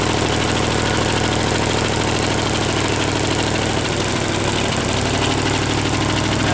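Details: Small-block Chevy 283 V8 running with only one cylinder head fitted during experimenting, lumpy uneven idle that stumbles and hunts; owner suspects a vacuum leak, air pulling in somewhere.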